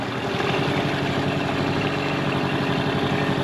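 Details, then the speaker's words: Mercury 9.9 outboard revived after years sitting, upgraded carb and plugs to 15 hp, on the lake under load heading for top end: steady even drone with no surging, misses or stalling; runs smoothly. "hey guys so we're out here on the lake now the motor started off perfect so now we're coming out to no no wake zone we're gonna see we can do at the top end so [Applause] [Music] and the motor doesn't stop stall at all"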